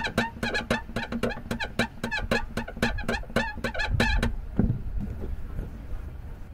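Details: Fiat 500 with creaky, stiff clutch, heard as the pedal is pumped: quick, high, squawking squeaks with each stroke, from a dry, failing clutch slave cylinder.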